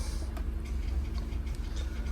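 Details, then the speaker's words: LCI RV hydraulic leveling system during a cylinder bypass test, heard from inside the cab: low steady electric pump motor drone with faint ticking, engaging normally; fluid found leaking from the hose. "Each time I'm listening for the motor, it kind of sounds like an electronic squirt gun is how it sounds from the inside of the cab. I want to make sure that's engaging when I'm doing that."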